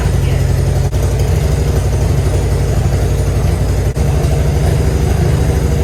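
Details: Grandpa's Harley-Davidson V-twin, off the road 15+ years, idling after the ball fix: deep loping idle with a steady low thump and no knocks or ticks, running evenly. Improved, though oil still looks aerated.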